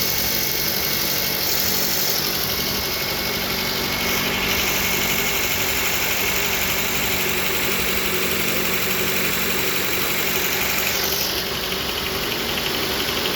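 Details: Suzuki SX4 engine at warm idle with a steady tapping of about four knocks a second over a hissy engine note; knock present, cause not pinned down.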